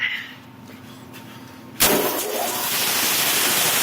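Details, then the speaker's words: Quincy 220 V air compressor starting after a blown 30 A fuse with an open circuit and no blackened window was replaced: quiet, then an abrupt start into a loud, steady run, with belts squealing slightly from sitting idle; normal start-up. "Oh yeah, Quincy lives. Tell she hasn't run for a little while. I can hear the belts kind of squealing a little bit in the background."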